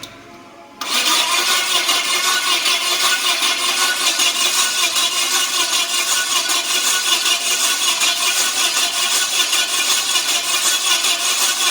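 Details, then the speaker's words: Yale forklift with Mazda FE engine, no start: long crank with loose uneven beat around 2.5 pulses a second and weak punch; low compression in multiple cylinders, suspected carbon buildup keeping intake valves from seating. "So so it seems like I'm losing compression in multiple cylinders."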